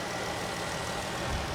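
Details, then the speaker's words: 2014 Dodge Durango 3.6 L V6 at auction: quiet, steady even idle, no misses or knocks, notably steady compared with a shaking lower-mileage RAV4; this older V6 runs smoothly. "look how look how steady this is if you watched in the earlier video we had Toyota RAF 4 that was just shaking like this at uh way way way less mileage this old American V6 is doing fine she's doing really well"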